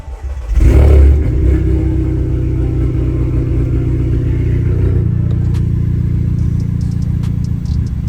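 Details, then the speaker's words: Audi A3 8P after clearing fault codes, running about 5 minutes with fans on: a quick rev then a lumpy, uneven idle with stumbles; still misfiring, almost worse than before, cause not found (owner hopes ECU relearn). "options so that's with no fans on oh we're still miss far the uh see the fans on it's been running for about 5 minutes now it's still Mis [Music] firing almost wor than did before"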